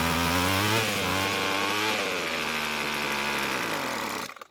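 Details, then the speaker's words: Rebuilt Weed Eater two-stroke trimmer; buzzes, sags and wanders in pitch then cuts out abruptly dropping to idle, running longer than before; owner believes idle is lean, plans L screw quarter turn counterclockwise. "so it ran even longer this time so i'm pretty confident that we still need to add just a little bit more fuel to get it to idle again since it's dying at idle speed"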